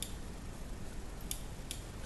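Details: Kossel delta 3D printer Z-probe microswitch after its spring contact was reshaped and given maximum compression. Two crisp, light clicks sound as the probe is pushed and released: the double click of a normally working switch.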